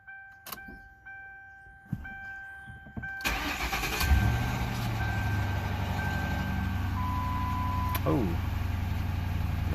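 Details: 2006 Ford Crown Victoria Police Interceptor V8 after a road trip, first start after fresh oil and new air filter: short crank, clean catch, settles into smooth even idle with no knocks or misses.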